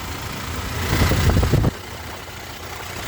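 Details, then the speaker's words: Toyota HiAce Gradia idling with air conditioning and headlights on after alternator repair; charging now 14 V, the earlier metal-scraping noise is gone; steady low idle with no squeal or rattle from the belt side, sounding normal. "Aircon na guys. Yan. Wala nang ingay yung kanyang makina."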